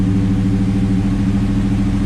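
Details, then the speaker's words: 1973 Camaro Z28 V8, cold idle just after Howards hydraulic roller cam, roller lifter and timing chain install: even steady rumble, no lope or misses, smoother than old cam; slightly rich mixture, 60 psi cold oil pressure; normal idle. "Nice. Wow. That's so smooth. Okay, let's look at the airfield gauge. It's a little rich. A little rich right now. Pressure's good. We got 60 psi cold. Just so much of a smoother idle than with the old cam, which makes"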